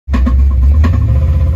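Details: Ford 5.0 302 V8: loud lumpy idle with sharp ticks about every half second over the rumble, feared as rod knock; actually a roller rocker came off from improper installation and an under-tightened Allen key lock.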